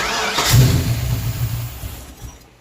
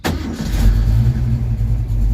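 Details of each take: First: Carbureted project car after throttle cable and return-spring adjustments, carburetor emptied: short cranking bursts try to catch then die, won't start; carburetor visibly pouring fuel, vacuum hoses unhooked, earlier leaks — flooded engine, cranks but won't start. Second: which if you saw the last video, you know, now just fires up instantly. So exciting. The Junior's car just hot starts again.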